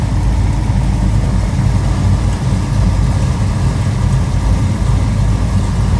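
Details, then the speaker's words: 1969 Pontiac GTO hardtop Judge tribute with built 428 XF-code V8, hood open; deep steady healthy idle rumble with even beat, no knocks, ticks or misses. "and fire this up so you can hear it run cuz like I said, this car sounds healthy."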